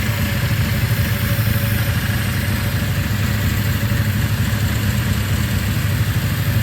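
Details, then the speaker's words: 1994 Yamaha Virago 535 V-twin with single-carburetor conversion kit, after fuel tank flush, petcock rebuild, regulator and clutch replacement: steady, even idle with deep regular lope, no knocks or misses; healthy and smooth, just back from a ride. "It actually runs real good. I just got back from a ride, and that single carb is working awesome."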